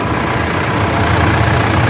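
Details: Mitsubishi L200 Triton 3.2 diesel after timing chain kit replacement (old drive belts also tightened): steady low diesel clatter at idle with no rattle or slapping from the engine front; timing chain now quiet, normal idle.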